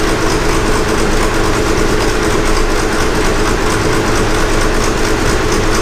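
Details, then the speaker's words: Gleaner F combine after replacing clutch shaft bearings, belt tightened and everything greased, first start: steady heavy low rumble running evenly with no squeal, knocking or grinding; much quieter than before, bearings sound healthy. "but you guys won't believe this there is absolutely no noise coming from this"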